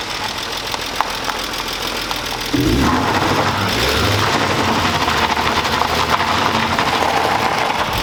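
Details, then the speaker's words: BMW E36 M3 S52 engine, sitting since last registered in 2018, after revving and donuts: idle picks up with an uneven loping beat about three or four pulses a second, stumbling; owner suspects low fuel. "okay it started missing at the end not even missing just kind of like fumbling stumbling out I think that is only because we're low on gas"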